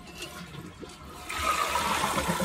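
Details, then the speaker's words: Toilet that buzzed in the pipes when flushed, after fill valve replacement: steady rushing flush with no buzzing or pipe vibration; new fill valve fixed it. "so that's what it looks like it was no more buzzing and again there can be other causes to that but in this case that's what it was"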